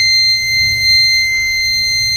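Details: Microtek Super Power 912 12V inverter on mains: steady, piercing high beep that never pauses; 6 V remains on change-over relay circuit even after replacing NPN transistor Q18.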